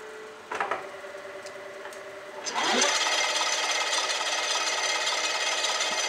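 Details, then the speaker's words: 1959 Cincinnati HydraShift engine lathe, dormant for decades, running in high gear (980): steady hum with a thin whine and dry rasp from the headstock end. A bad gear bearing inside the collar is suspected; the small belt is also loose. "it sounds like there's some sort of a bearing in here that's going bad"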